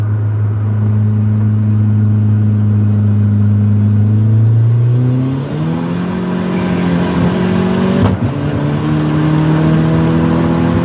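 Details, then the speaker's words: Ford Probe turbo at 30 psi on race gas, 60–130 mph pull: engine pitch climbing through the gears, then a sharp crack as boost pegs, wideband hits 13.1, lean backfiring and severe detonation; head gasket failed at cylinder 3. "saw that the boost gauge was pegged like it normally is, but then I snapped my eyes up to the wideband just in time to see the wideband hit 13.1 and the car start popping, lean backfiring, severe detonation."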